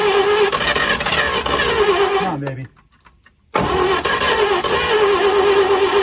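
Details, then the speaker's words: 1940s GMC 6x6 military truck with two engines, sat 40 years: long uneven cranking with a few catching firing bursts, a pause, then more cranking after ether was added; nearly starts but fails, carburetor possibly flooding. "oh boy it's close I'm worried about this carb flooding"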